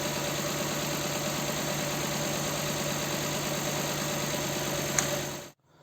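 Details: Nissan Sentra 1.8 at idle: it stumbles with an uneven puffing beat at the exhaust, shaking and lacking power. One cylinder is dead, not from a coil or plug but because its injector gets no pulse from the computer.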